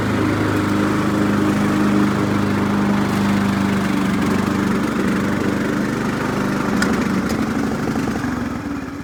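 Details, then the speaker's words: 2003 Craftsman LT2000, 18.5 hp Briggs & Stratton Intech, mowing with the deck engaged: a steady buzzing drone with even firing and no misses or knocks; it was later shut down and dumped smoke. "Well, got her out in the sunlight. Running pretty good. Let's see how she mows."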